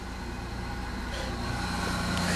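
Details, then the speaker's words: Plymouth on a very cold start at about minus one to minus two degrees with snow on the ground: barely starts, then runs uneven and lumpy, level slowly building as it struggles to settle. "turn the key see what happens oh oh you hear that oh she barely started"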